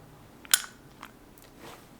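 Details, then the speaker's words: Vintage Abumatic spincast fishing reel being checked before buying: one sharp, crisp click as the button is pressed, meaning the retrieval pin has recessed and the reel can cast, a normal button click. "That click is very important, because that click is telling you that the retrieval pin has just been recessed and is allowing you to cast."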